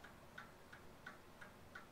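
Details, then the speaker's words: 1920s Seth Thomas Sentinel pendulum mantel clock, about 100 years old, freshly wound and running: crisp, even ticks about three per second with steady spacing and no stumbles; movement running normally. "so it's running."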